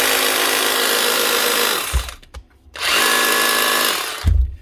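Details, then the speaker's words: 2024 Bosch GBH 36 VF-LI Plus 36 V SDS hammer drill, in for warranty repair: two short runs of an even whir that stays low and lazy, lacking full power. Burnt-out motor suspected (not smelling burnt); the controller is also possible. "That's actually a burnt out motor. I think so anyway. Doesn't smell burnt out, mind you. Not completely, but there's definitely something wrong there. She's just not getting full power."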